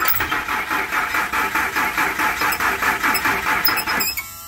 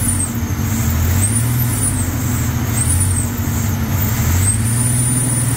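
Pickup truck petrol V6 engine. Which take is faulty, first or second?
first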